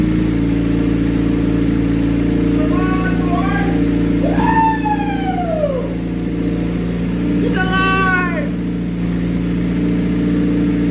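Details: 1988 Honda CRX, mid-engine Acura Integra swap with custom turbo kit, after build: smooth steady idle with constant hum, no knocks or misfires, cat meowing nearby; normal idle.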